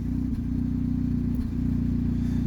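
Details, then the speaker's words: 2007 Saturn Ion at idle: steady rumble with a regular stumble and rhythmic dips as cylinder four misfires, confirmed by cylinder balance test; owner suspects spark plug threads damaged during tune-up leaking compression. "we'll go figure out which cylinder is misfiring and it's four [Music] it isn't random it is cylinder four"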